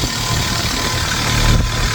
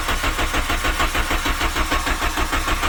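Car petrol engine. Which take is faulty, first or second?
second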